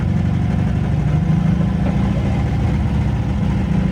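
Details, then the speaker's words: Eagle SS 80s gullwing kit car, revived after decades abandoned, first drive with no seat fitted: engine holds a fast, steady hum at rest with no dip or hunt, idling way too high even though the idle screw is fully backed out; cause unknown. "It's definitely idling way too fast, but the idle screw is completely out, which is another fun mystery."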